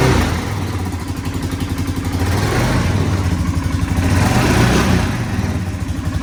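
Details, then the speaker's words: Polaris Sportsman 570 ATV at about 6,000 miles, running: loose irregular clattering rattle over the exhaust, rising and falling with revs; owner says it comes from the clutch, which got hot enough to rub off the cover sticker. "i don't know if you could hear it in the video but the fool is rattling all the hell it's coming from my clutch"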